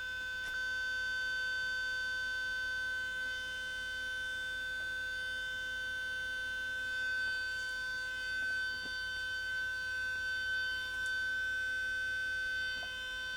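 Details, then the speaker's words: Panasonic AG-4700 S-VHS recorder (similar to NV-HS1000) at power-up: steady high-pitched whine with fixed tones and faint ticks as the head drum motor spins very fast, display shows E9, then settles and works; also recurs from standby; cause unconfirmed. "so that's a Head drum motor spinning very fast there's a display and it comes up with E9"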